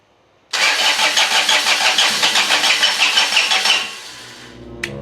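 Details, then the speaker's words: John Deere 455 diesel mower with a repaired fuel shut-off solenoid; steady rhythmic cranking about three turns a second that never fires, glow plug light off; glow plugs suspected bad since it started before on a jump: cranks but no start. "it's got a glow plug light on here right there in the middle and it's off it's cranking hard them glow plugs might be bad cuz it started before you saw it when I jumped it"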